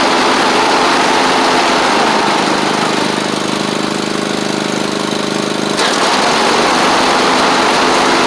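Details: Troy-Bilt Mustang Z46 zero-turn, after wiring, solenoid and ignition coil repair: even, fairly quick beat at steady pitch, no misses or knocks; runs fine once started though it tends to choke at start-up, possibly an overly happy fuel pump.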